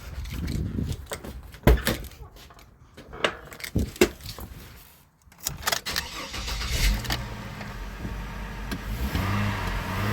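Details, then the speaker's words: Chevy Trailblazer six-cylinder, intake piece off, just after fitting all six new coils and new spark plugs: cranks briefly, catches at once, settles into an even, steady idle with no misfire or stumble; running nice and smooth. "you're actually running nice and smooth"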